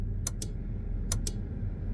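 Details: Versatile 2375 diesel tractor: crisp paired flasher relay clicks about every 0.8 s over a low diesel rumble; the flasher still cycles but the signal lamps are dead from blown fuses on the signal/relay circuit.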